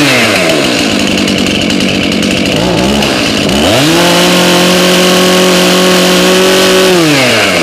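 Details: Two-stroke chainsaw with a very loose chain, cold start around 30°F after months stored on ethanol-free fuel without stabilizer: crackly idle revs cleanly to a steady high scream, holds, drops back to idle; normal running.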